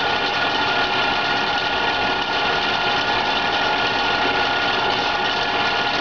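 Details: PMI Brisa evaporative cooler WH2903A after about 60 hours of use: steady, harsh buzzing rattle with the blower running, like a failed motor bearing; caused by the blower wheel rubbing its housing, fixed by repositioning the wheel.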